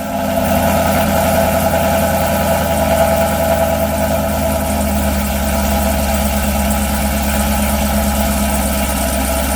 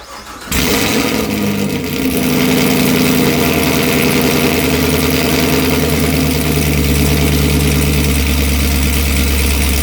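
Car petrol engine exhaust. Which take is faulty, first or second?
second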